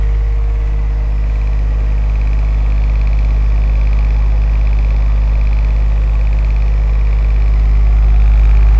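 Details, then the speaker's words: Trash-picked ceramic heater converted into a centrifugal fan, one blower slightly off balance: steady deep rush of air, even with no scraping or rattle at full speed; normal blower operation. "there's a little bit of off balance on one of the UM one of them blowers this thing it really throws some air I kid you not have a listen pretty impressive I think"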